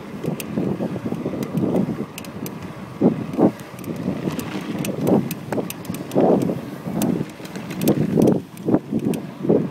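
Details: Brand-new Cannondale Flash 1 29er alloy mountain bike while riding: constant, loud, dry creaks and sharp clicks over wind noise. The owner suspects the front hub, wheel or Lefty fork and hopes it is not the frame.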